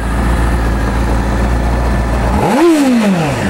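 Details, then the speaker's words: 2009 Honda CBR600RR sportbike with 1,816 miles, exhaust under the seat: steady inline-four drone, then a crisp blip climbing sharply and falling back cleanly, real quick throttle response, no knocks or rattles; healthy engine revving. "Real quick throttle response."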